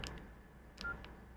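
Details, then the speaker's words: Nokia N95 8GB after flex cable replacement: four short, clean keypad beeps through the earpiece speaker without crackle or dropout, showing the speaker works and the new flex cable passes signal. "go tick tick you know a well up tick tick boom beep that comes through the speaker up here and obviously that's uh that tells you that the speaker is working"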